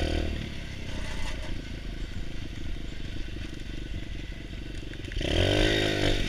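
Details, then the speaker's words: Pit bike engine not yet adjusted properly; small revs with uneven clatter about three beats a second, louder as throttle opens. Owner says an unadjusted part makes the annoying sound, same as his previous pit bike; cause not confirmed. "And if you're wondering what that sound is, it's like this one. Yeah, as you can see, I haven't configured that shit right yet. But it's this one that makes the annoying sound."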